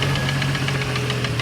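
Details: 1989 Jeep Cherokee XJ Renix I6, a 4.6L stroker build with aftermarket pistons, started knocking after 700 miles with temperatures running high: fast, loud, regular hollow knocking about eleven times a second. The cause is piston slap, seen as a gap at teardown.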